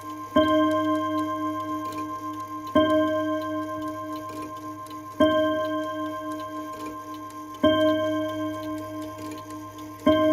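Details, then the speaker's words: Antique Ansonia mantel clock, chime rods filmed from the back: ringing chime strikes about every two and a half seconds, each decaying cleanly and evenly spaced; owner suspects something is wrong with the chime. "My only pick-me about it is I think the little chime in it. I don't know if it's, just me or if it's something else wrong with it"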